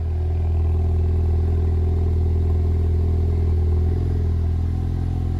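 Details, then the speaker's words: Ford Focus ST Mk3 estate just after first start following accident repairs, cold before warm-up: low steady idle rumble with an even beat, no knocks or misses; sounds great. "no it absolutely sounds great but we're going to let it warm up a bit"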